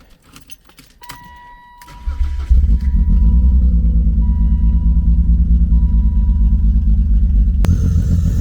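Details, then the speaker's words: BMW E36 convertible, muffler off, started to check running: catches after short crank, loud lumpy idle with uneven beat; cylinder misfire, cylinder not yet identified. "So it clearly has some type of misfire, and especially without the muffler on it, it makes it even louder."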